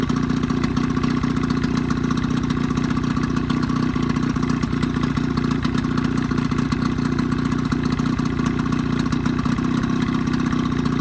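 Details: 1985 Evinrude 20hp two-stroke outboard modified to 25hp, after full service, new reeds, primer seals, thermostat; steady even idle burble, no misses or surging; earlier lean coughing and spitting fixed, smooth normal idle.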